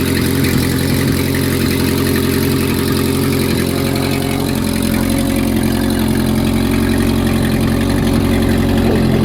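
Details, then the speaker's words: Renault R10 after 20+ years sitting, running cool with no coolant in the radiator after new points, repaired points wire and cleaned carburettor: steady even idle, smooth low hum, no misses or knocks; owner thinks it needs an exhaust gasket. "will it start after 20 years yes it will what a great little engine"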